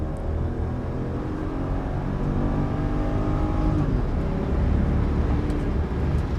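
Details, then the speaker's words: Mercedes CLK 500 at 144,895 miles, hot 91°F day, floored on the road after coolant-leak repair: engine note climbs smoothly and evenly for several seconds with no knock, miss or whine; pulls healthy, normal full-throttle acceleration. "to be pulling pretty good. Nothing really crazy."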